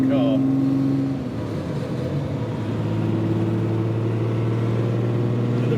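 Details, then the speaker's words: Ferrari 275 GTB two-cam, carbureted, on a road test while warming up: strong even multi-cylinder note pulling cleanly even at low speed, smooth gear change, no misses or knocks. Normal running. "but I could already feel this runs back my Lords well this sounds of glorious idiot you just feel it pulling nice and strongly even in these low speeds"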